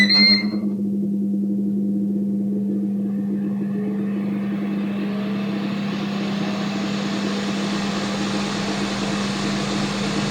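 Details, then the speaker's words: Ninja Foodi OP500UK after fixing the loose heating-element retaining bracket and refitting the Torx and Phillips screws: a short beep, then a steady fan rush and low even hum, with the earlier rattle gone. "so well that solved my rattle hopefully it helps some of you guys out there even if it's not the exact same thing it might be similar"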